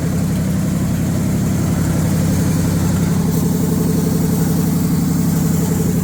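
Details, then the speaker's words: 1978 Chevrolet K20 V8, carbureted, first start after sitting under a tree for years: runs smooth and even with no misfiring, but idle is way up there, held fast and never settling; not charging, no coolant in it. "that happened a lot faster than I expected I actually ran really good too there was no misfiring idle is way up there"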